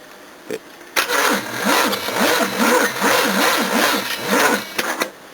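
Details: Battery test cranking a 5.7-litre 351 V8 with a lazy starter on long jumper leads: brisk, steady cranking with even compression pulses about two per second, strong and consistent throughout; battery holding up fine.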